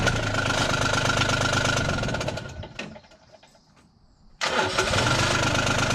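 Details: John Deere Gator 850D diesel, after fixing a no-crank caused by the neutral safety switch at the transmission: it idles evenly, is shut off, then restarts straight away and settles into a smooth steady idle. Normal.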